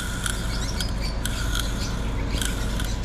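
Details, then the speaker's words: Nissan NV van blower motor, powered but not working: a rough, rasping scrape pulsing about twice a second under a deep hum as it spins, because the carbon brushes inside are worn out; sealed unit cannot be opened. "yan ang naririnig niyong ingay yan po yung dahilan niyan dahil naubos na yung carbon nito sa loob"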